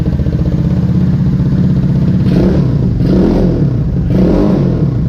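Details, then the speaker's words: Vader 125 (Grom clone) with the new exhaust and baffle in, choke on. Steady low buzzing idle with three quick throttle blips that rise cleanly and settle back; a moderate, not harsh pipe note and a healthy running engine. "Let's see what it sounds like with the baffle in. Bike on, chokes up. You know what? It's really not that bad. I don't mind it."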